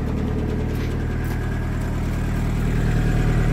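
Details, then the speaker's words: 1981 VW Rabbit/Caddy diesel pickup truck idling in neutral with parking brake on, heard outside then at the tailpipe: a steady low diesel chug. Owner notes a loud vibration at idle, suspects engine mounts, and says raising the idle quiets it. Normal diesel idle. "So, it sounds like it's not too loud from the outside. It's a diesel, right?"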